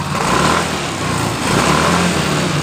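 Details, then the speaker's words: Yamaha Mio Fino that stutters (brebet) when hot, normal when cold; after injector/fuel pump priming (key on three times) and restart, engine revs up and down smoothly with clean throttle response, though idle still sits high. "Kita fokus ke tool gasnya. Motor ini langsung normal."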